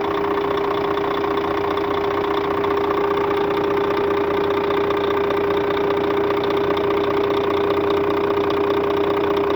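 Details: Scania K400 bus, DC13 13-litre diesel, 400 hp at 1900 rpm, road test at normal operating temperature, customer reports strange engine noise: loud steady run with constant high whine and faint rhythmic knock; cause unclear.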